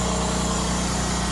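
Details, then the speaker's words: Acura started up after sitting, petrol engine idling cold: steady low rumble with a raspy, puffing edge, a minor exhaust leak suspected, not confirmed. "minor exhaust leak"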